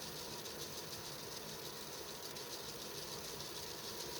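Steady fan whoosh with a fast, uneven ratcheting rattle underneath; the rattle points to a worn fan motor bearing. Cause suspected, not confirmed.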